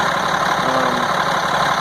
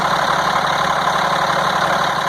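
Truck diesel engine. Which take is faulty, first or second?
second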